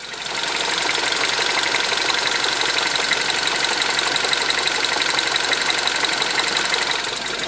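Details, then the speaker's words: Freshly rebuilt Mini Cooper S engine, warm after about 10 minutes running, first oil change: light quick ticking about three per second at idle only, not rising with revs; top-end tick, cause not pinned down. "but one thing I want to just point out is that we appear to have some kind of maybe it's a knocking a tapping a ticking whatever you would call it but take a listen to this"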